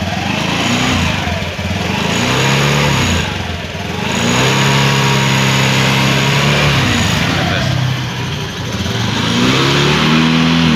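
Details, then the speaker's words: Honda Beat FI scooter after CVT repair for a rough helicopter-like CVT noise: revs up and settles back several times, drive smooth and even with no rattle or grinding, now quiet. "Ya udah nggak berisik ya Bro Taman go suara aja bersih ya"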